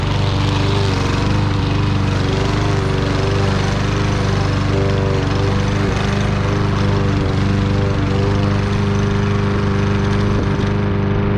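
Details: Troy-Bilt single-cylinder mower with low compression, after carburetor clean: steady drone holding speed through thick grass, no misses or surging; running better than expected.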